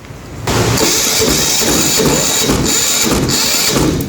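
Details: SUMO SDG5000T silent diesel generator cranks steadily with a rough, pulsing churn but never fires, even after charging the drained battery; no fuel reaching the top, suspected faulty electronic fuel valve or its power/control; not confirmed.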